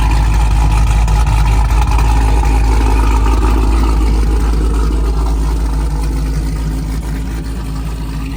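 Deep, smooth V8 rumble easing down from a rev with no ticking over the exhaust note; the valvetrain sounds healthy.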